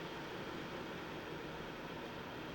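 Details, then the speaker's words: Dreo Macro Pro HEPA air purifier with fan stepped up to maximum speed: steady, even rush of air with no rattle, tick or whine; still quiet and healthy. "now we've increased the speed still very quiet and now we've maxed it out"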